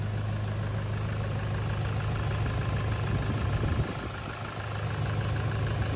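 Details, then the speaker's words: 2011 Toyota Hilux KUN26R 3.0 1KD D4D manual after replacing the 130 A alternator and drive belt; the noise is gone and the diesel settles into a steady, quiet low idle with an even clatter. "is good yeah sounds like d4d now yeah it's quite quiet now that's normal noise already yep sounds good"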